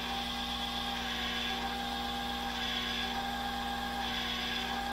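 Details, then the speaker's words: Nautel ATU-HP antenna tuner auto-tuning with transmitter reduced to about 30 W after an output network alarm from high SWR: quiet steady small-motor whir with thin level tones as L tuning decreases and R tuning sits at max limit; normal tuning motor operation. "L tuning is now decreasing, so we'll just give it a little second and it should tune up. The R tuning has reached the max limit, but that's okay."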